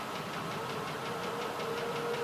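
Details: 2004 Land Rover Discovery SE V8 idling with a quick, even tapping knock, about five per second, over the engine hum. The oxygen sensor was just replaced and the idle is smooth; cause unknown.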